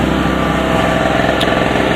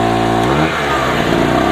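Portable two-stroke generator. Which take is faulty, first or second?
second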